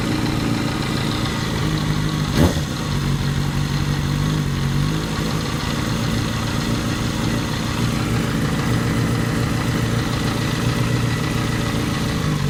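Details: 2008 Yamaha FZ6 with 49,000 km, held at 2000 rpm after sitting off for some hours: a constant mechanical rattle rides over the exhaust note, cause unknown; abnormal engine noise at 2000 rpm.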